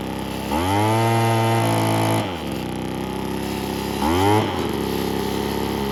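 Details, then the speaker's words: 80s/90s McCulloch two-stroke gas leaf blower after a Zama carburetor kit rebuild and new fuel line filter: a crisp buzz revving smoothly and returning to a steady idle while old oil burns off. It runs healthy. "it's probably been sitting outside for a long time but yeah almost sounds like a chainsaw it's pretty cool"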